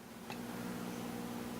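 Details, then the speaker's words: Homebuilt single-ended Class A mono tube amplifier, power tube on about 20 mA combined plate and screen current, getting warm: quiet steady low speaker hum with no crackle or dropouts, tube working. "you can hear the speaker humming so that tells me that our tube is alive and well"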